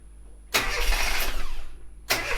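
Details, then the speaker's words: Austin Metro engine after a service: catches on the first turn of the key and settles to an even running note with no belt squeal, starting perfectly and making no noise now. "absolutely starts perfectly now doesn't make any noise in fact"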